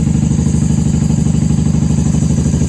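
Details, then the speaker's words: 1994 Honda Magna 750 VF750C warming up on choke after fuel line repair, airbox removed, unbaffled factory pipes: steady, even, throaty pulsing at fast choke idle, loud, no knocks or misses; normal idle on choke. "Hey, she sounds good. She sounds great. I'm surprised she's running so well without the airbox on. Let her warm up till choke can be turned off."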